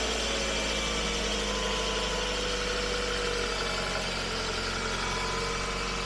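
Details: 2005 Toyota Camry idling after a valve cover seal change, oil topped up with Mobile 1. Even, steady idle with a smooth low hum and no knocks or ticks; the engine runs healthy and no leaks are found.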